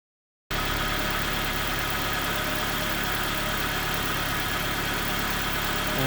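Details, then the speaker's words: 2004 Nissan Pulsar N16 QG18DE, 120,000 km, after head gasket replacement (gasket was burnt between cylinders 1 and 2, causing rough idle and misfire): steady, even four-cylinder idle hum with no stumbling, normal idle. "And this is how smooth it should be."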